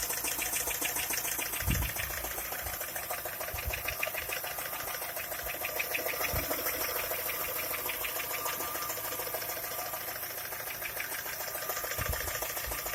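Fast, light ticking at idle, about three to four per second and slightly uneven, over a quiet engine; a knock whose source is unclear.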